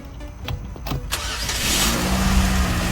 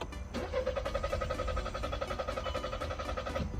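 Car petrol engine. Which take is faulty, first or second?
second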